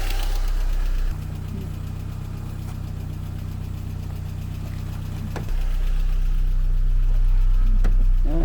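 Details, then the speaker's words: 1999 Saab 9-3 with B204E engine and Garrett T25 turbo, first start after rescue from scrapyard, no engine light: fast, even ticking about four per second over a rough idle, suspected top-end tick, cause not confirmed. "now it's ticking quite bad"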